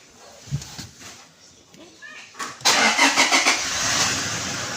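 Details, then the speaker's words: Toyota Hilux 2GD push-start diesel after brake switch repair for code P0504 and clearing fault codes: brief crank, catches cleanly, settles into steady idle; no fault codes, healthy start. "Right now we don't have any fault code. So everything right now is working perfect."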